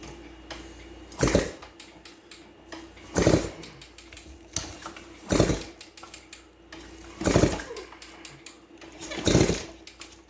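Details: 1978 Kawasaki KE100 two-stroke barn find, kicked over with a compression tester fitted after repair work (earlier 75–80 psi, target over 100): five slow kicks about two seconds apart, each with a firm, solid compression thump; good compression.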